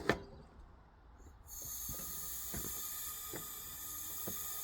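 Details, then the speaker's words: Leak-down test on a tow-behind mower's engine cylinder with valves closed. After a click, a steady airy hiss with light ticks. Air leaks fast, not via exhaust or intake but into the crankcase. "I mean it's leaking fast but I can tell you it's not coming out of the it's not coming out of the exhaust and it's not coming out of the intake but I do hear it here so that would be uh normally that covers closed that would be from the crankcase"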